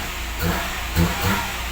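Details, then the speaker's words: 2011 Kia Picanto 1.0 manual, previously no-crank no-start with no power to ignition coil, after ECU cleaned and refitted: engine idles smoothly, takes quick throttle blips and settles cleanly; runs normally, ECM now scannable. "So yun umaandar na mga kamano yan may RPM na"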